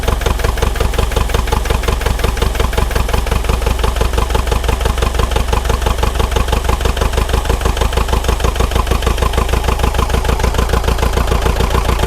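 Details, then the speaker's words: Neglected, frozen Bobcat T595 skid steer diesel just started cold after glow plugs: uneven, stumbling chug at low idle with smoke, running on 1–3 cylinders; misfire, smoke suspected to be steam and unburnt fuel from flooding cylinders. "We really shouldn't see any smoke coming out of it, but it's only running on 1 or 2 cylinders at the moment. Maybe 3."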